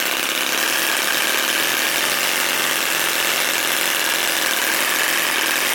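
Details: Musa Hoglet model V-twin, air-cooled two-stroke on oil-fuel mix, about 0.6 hp, CDI ignition, after kickstarting: high buzzy even note steady throughout, no misses or stumbles; runs cleanly.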